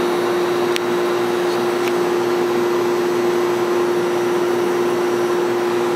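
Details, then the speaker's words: 1973 Whirlpool 6,000 BTU window air conditioner with a Seeger rotary compressor, case opened: a steady, even hum with smooth airflow and no knocking, compressor and fan running normally and cold. Start-up hesitation makes the owner suspect a failing capacitor. "okay let's hear the compressor around it should start it's kind of warm down here this is very smooth running"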